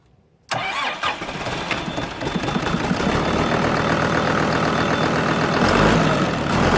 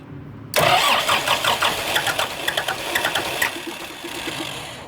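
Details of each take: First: Kubota M120 tractor diesel after fire repair and fuel-system bleeding, low on coolant from burned heater hoses: quick crank, then catches and holds a steady knock-free idle about four beats a second; starts and runs fine. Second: Kubota M120 tractor diesel, sat four or five years after a fire, PTO switch just fixed: starter spins the engine with uneven churning for several seconds, never catches; crank-no-start, owner suspects bad lift pump or air in fuel.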